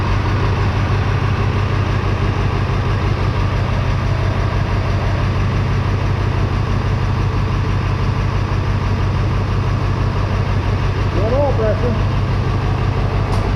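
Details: 7.3L Powerstroke in International 4700 dump truck, first start after new GTP38 turbo cartridge, oil (15W-40) and filter change: deep even diesel idle, steady, no knocks, surging or whistle over fourteen seconds; running healthy.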